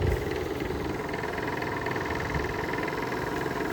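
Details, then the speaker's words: Whirlpool window air conditioner from 2000, neglected outdoors about two years, fan on high: compressor runs with a steady low hum and soft even rumble, no knocking or rattle; compressor sounds healthy, noise attributed to worn fan bearings. "throwing that compressor sounds nice it sounds really healthy too"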